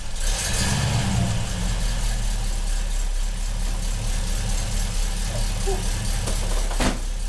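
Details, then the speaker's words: Classic Rover P5B V8, first start of 2020 in the garage after a six-month rest: even, steady idle with a smooth low burble, no knocks or misses, settling cleanly after the first start with no drama. Normal idle. "So that's the first startup of the year, done and dusted. No drama, unfortunately for you, but fortunately for me."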